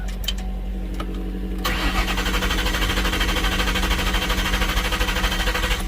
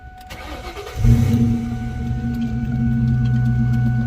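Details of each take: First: 2000 Ford Mustang GT, abandoned, just had a transmission installed and is jumped with the alternator light on and the exhaust open. Strong, even cranking with good compression never catches; crank no-start. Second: 2000 Mustang GT abandoned in a parking lot, freshly installed transmission: brief crank, then fires right up into a loud steady idle through open exhaust; normal start, though something underneath sounds not right.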